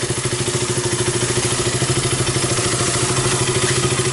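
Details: KTM RC 200 idling after replacing a leaking fuel pump hose that caused low fuel pressure and stalling: a quick, even pulse of about ten beats a second holds steady with no stumbling, normal idle.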